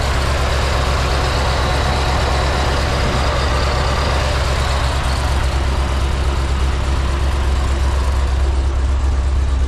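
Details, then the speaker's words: 2005 Chevy Corvette after head gasket replacement, idling with heat on while bleeding coolant, no check engine lights: a loud, lumpy idle with an uneven lope about every half second, deep and choppy but steady; normal cammed idle. "all right guys if you can hear behind me the Corvette is on and it is chopping"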